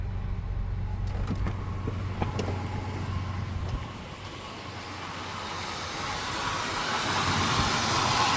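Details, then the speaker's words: 1998 Ford Explorer, sat five years, high idle of 2,000 rpm fixed by cleaning the IAC valve's spring and plunger: engine settles to a calm, even idle around 1,000 rpm, with a slight screeching noise still heard. "That sure did calm the engine down. I do hear a little bit of that screeching noise. Hear it? But the idle is back to normal."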